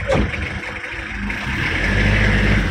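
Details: L300 pickup with hydraulic clutch, after a clutch repair to cure vibration on take-up, engine warmed briefly first: diesel pulls up smoothly from idle with a clean rising note and no shudder; vibration gone; normal clutch engagement.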